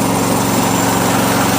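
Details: About 17-year-old lawn mower, small single-cylinder engine, after fuel tank seam repair, new gasket and new filter plus pre-filter; buzzes along at a steady even pace with no stumbling or knocks: normal running.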